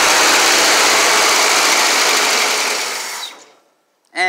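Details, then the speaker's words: 1975 Ford Bronco 302 V8 with smog pump, first start in 30 years: it runs with a harsh hissing roar, then fades and stalls; owner suspects the tank is empty or the old gas is bad. "run out of gas so either tanks empty or the gas ain't no good or something"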